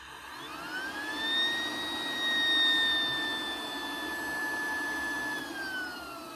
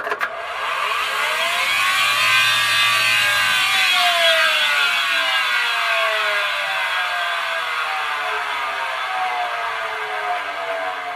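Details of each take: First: Road-drying blower with new bearings: clean, steady whine that rises, holds and falls with speed, with no grinding or rumble, showing normal healthy bearings. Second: Road-drying blower: harsh, rasping grind with wavering whistling tones over the blower's rush, the sound of badly worn rotor bearings; damaged bearings warrant contacting support and limiting machine use.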